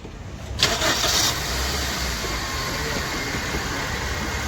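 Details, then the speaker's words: Suzuki SX4 petrol/CNG car that long-cranked, misfired and wouldn't rev on petrol after sitting 3–4 months; fixed with new fuel pump, cleaned tank, throttle body and spark plugs: quick crank, catches first try into smooth steady idle. "एकदम बरोबर है य भी सिर्फ इसमें fuel pump का problem था तो इसका हमने फ्यूल बम चेंज किया"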